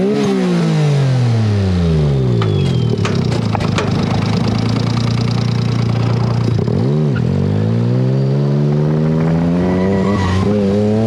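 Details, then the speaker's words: Mitsubishi Mirage-coil COP ignition on street tires: revs rise and fall, note turns ragged under load, misfiring, no boost, won't rev, roughly 80 hp; cause suspected, later addressed by replacing stock coils with Hitachi R35 coils. "I was so excited to bring this thing out on the street finally on the street tires but as you saw in that footage couldn't do it I had no power"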